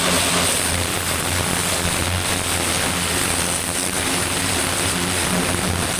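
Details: Vintage David Brown 990 diesel tractor, revived after 20+ years abandoned, clutch freed: steady even drone with smooth low beat, no knocks or misses; running sweetly, engine seems in good condition.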